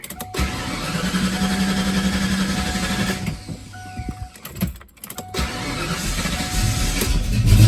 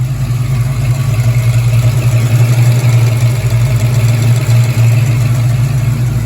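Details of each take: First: Ford Fox-body Mustang that starts perfectly first time each day but struggles when warm: long uneven cranking, a pause, then it catches and revs roughly with a surging, unsteady idle and miss; cause (fuel, spark, air) unconfirmed. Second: Foxbody Mustang that starts hard and surges when warm, first cold start of the day with a new coolant temperature sensor, running about 10 minutes: even, steady low idle with no stumbles or surging; normal cold idle.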